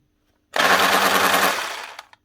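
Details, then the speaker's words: Makita HR2611F SDS drill, burnt out boring 16mm holes in reinforced concrete: short rough hammering rattle that sags and dies after about 1.5 seconds; struggling motor with burnt armature needing replacement. "can hear it cooking. Motor's gone it. So need a new armature for this here."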